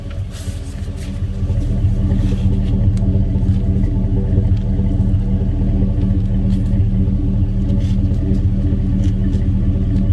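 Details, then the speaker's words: 2002 Chevrolet Silverado 1500 2WD, 5.3 L V8, P0300 misfire. Low uneven idle with a chuff at the tailpipe about three a second and a small tick with each miss; scope compression test found intermittent low compression from a leaking cylinder 2 exhaust valve. "i don't know if you guys can hear it but about every time that sucker misfires you can hear hear a little tick down in there i'm pretty sure i'm pretty sure it's this exhaust valve right here"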